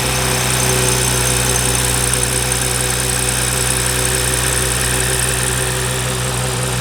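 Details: BMW G30 with B58 engine after camshaft follower replacement and fuel pump reinstall, restarted: smooth, even idle with a steady low hum and no ticking or stumble; normal idle.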